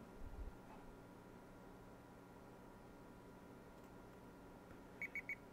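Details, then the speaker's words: Stasic universal ASIC hashboard tester installing firmware after connecting to Wi-Fi, three quick high progress beeps over a quiet electronic hum, repeated a few times; normal firmware-install beeping. "it's um installing the firmware so this will do this a few times so we'll wait and hopefully you can hear the beeping without yes that's almost"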